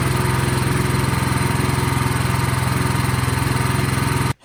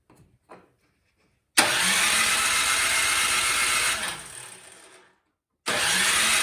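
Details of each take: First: Craftsman snowblower single-cylinder engine, partially reassembled, gas and choke on: fast even chugging at steady speed with no misses or surging, then stops cleanly; runs well. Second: Craftsman snowblower that won't start: two bursts of cranking that wind down without firing; spark plug gap later found huge but spark present, suspected fuel not getting through carburetor.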